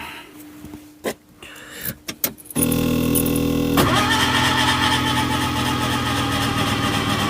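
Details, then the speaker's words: Skoda Estelle 120 with Rover K-series 1.8 16V, left untouched a year: starter churns steadily about a second before it catches and settles into an even idle; slow to fire after sitting. "doesn't like being left for so long does"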